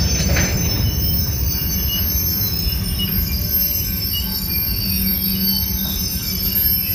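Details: Union Pacific 6644 freight train rolling slowly out of Mesa Yard to a siding: loud continuous high wheel squeal over heavy low rumble and clanging between cars before it stopped; cause unknown, later fixed.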